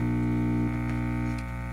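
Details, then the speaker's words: 1959 General Electric AS-4A tube amplifier, yard-stored and moldy, being restored, warmed up at 100 and plugged into a source: steady low constant-pitch buzz through the single speaker, dropping slightly; speaker buzz. "it's plugged into something it sure does Buzz"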